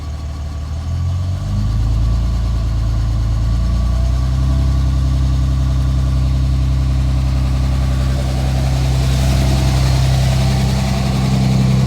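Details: 2007 Dodge Ram 5.9 Cummins diesel idling rough with an uneven, lumpy beat of two to three pulses a second; began a month ago, intermittent fuel rail pressure sensor, MAP sensor and overboost codes; owner asks if excessive blow-by; cause unconfirmed.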